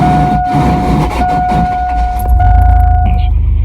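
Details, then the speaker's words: 2000 Chevy Blazer ZR2 starting on a cold day: high, harsh starter whine grinding through the crank before it fires, worsening over the day. Owner assumes the starter solenoid isn't fully engaging the flywheel; wrong bolts with stacked washers were noted. Starter was replaced. "I assume the solenoid isn't engaging all the way onto the flywheel and it's grinding"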